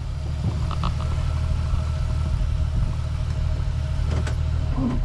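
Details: Jeep Wrangler TJ, warm after a 5–8 mile drive, idling in gear: low uneven loping rumble with stumbles and RPM bounce; fuel pressure vibrates at idle but steadies above 1200 rpm, so fuel delivery is suspected. Rough idle, cause unconfirmed.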